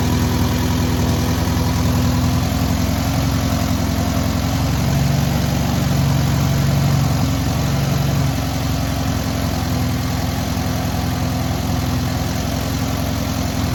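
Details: Newly rebuilt air-cooled VW 1600cc engine at its first start and break-in: smooth, even flat-four beat at a steady idle with no ticking, knocking or missing; normal idle.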